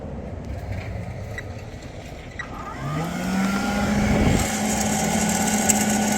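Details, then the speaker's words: Sparx ES200 skate sharpener (about 2022 build) kept in a vehicle around 50°F, grinding with 5/8 in disc: spindle motor hum climbs then levels off low, never reaches full speed, stalls and throws code 236; owner suspects cold, possibly bad motor. "the motor's really not spinning up the speed so there it is stall and you got the 236 erir code two three and six"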